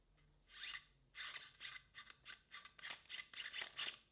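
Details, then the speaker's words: Canon EF 50mm f/1.8 Mark II with original direct-drive (DC) autofocus: short, harsh raspy whirring bursts, about a dozen in four seconds, as the lens hunts focus. Normal but loud focus motor noise, too noisy for recording video. "So yeah, quite noisy. When it's focusing, when the autofocus is happening, it's really kind of jarring, and you definitely couldn't record video using it."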